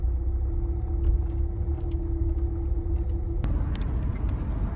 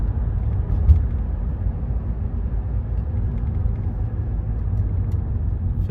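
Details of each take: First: 2015 Renault Megane 3/Fluence 1.5 dCi diesel cruising off throttle, before repair: steady low hum droning over road rumble, caused by the stiff original fuel return hose carrying vibration into the body; the fix is a softer replacement hose. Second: 2015 Renault Megane 3/Fluence 1.5 dCi diesel braking, cruising and on throttle after the fuel return hose was replaced with a softer one: steady low rumble and no droning hum; the hose swap cured the noise.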